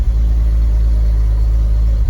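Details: Long-neglected BMW Z3 M, just started for the first time in ages after fuel pump priming: deep, steady low rumble with no ticks or stumbles over a couple of seconds; idling cleanly. Normal idle.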